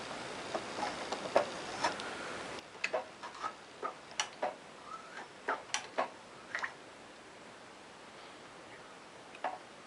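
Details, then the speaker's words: 1965 Honda CB160 twin, seized after sitting for years, crank bumped by hand with spark plugs out and no engine running: irregular light ticks and scrapes as the piston rings drag over heavily rusted cylinder bores. "i can hear the rings hitting rust i don't think you can see in there just take my word for it it's very rusty in there"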